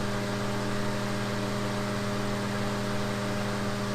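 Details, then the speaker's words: 2004 grey Duracraft turbo fan with a 0.6 A motor, before restoration, on high full power: steady, airy rush over an even low motor hum, with no ticking or rubbing. Runs smoothly and is not seized. "all right let's go and get up to High full power oh yeah"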